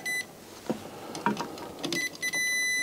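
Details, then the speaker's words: Yamaha RX-E810 receiver under repair, power disconnected, multimeter continuity test on its two fuses: clear steady high-pitched beep each time the probes touch, holding solid; both fuses have continuity and are good. "one fuse so it's okay and the second is also okay sounds like good"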